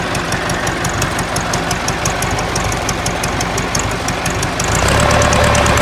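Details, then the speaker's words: Ford 4040 industrial diesel tractor before injector rebuild: lumpy idle, uneven beat with a dropped puffing stroke about three a second, puffing smoke; misfire, number two injector worst, streaming fuel instead of atomizing, others also weak. "you can tell it has a mess and a puff and smoke and it just didn't sound near as smooth as it does now"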